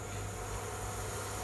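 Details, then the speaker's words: Philips induction stove model 4929 after repairing the start button fault (on/off button in series with other buttons), heating a vessel; steady cooling-fan hiss over low even hum, all buttons working normally. "बिल्कुल अच्छे से काम कर रहा है, गर्म होना शुरू हो गया है और इसके सारे बटन काम कर रहे हैं।"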